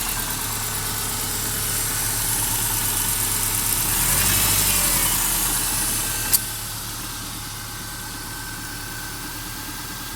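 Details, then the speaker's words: Subaru boxer at cold idle after replacing worn original spark plugs (0.060+ gap, loose in head): faint, regular knock about four a second over an even idle; owner suspects piston slap, gone after 10–15 miles. Light knock at idle. "little knocking does completely disappear after about 15 miles of driving. As far as I can determine, it is piston slapped."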